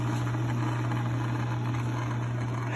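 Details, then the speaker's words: Logan lathe bought used, after adjusting a shaft to ride fully in both bearings: smooth, constant low hum from motor and spindle with no knocking, grinding or wobble; runs clean and even, normal. "Uh, well, let's fire it up. runs smooth and safety feature."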